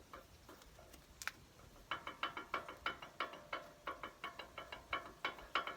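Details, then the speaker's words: Toyota Hilux SW4 suspension: sharp metallic clacks, about three a second, as the worn sway bar link (stabilizer link) is worked back and forth by hand, before it is replaced with a new link. "E é um barulho que vai enchendo o saco, né? Vai batendo, ó."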